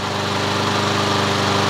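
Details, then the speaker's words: Troy-Bilt TB130 mower with a Honda GCV160 engine converted from auto choke to manual choke, choke now off and at full mowing speed; steady even high-speed drone, no surging or misfires, normal full-throttle run. "let's lay off now we're at a choke now we're at full mowing speed now can we idle this"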